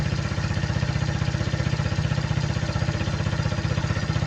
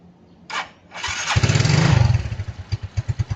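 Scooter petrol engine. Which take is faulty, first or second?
first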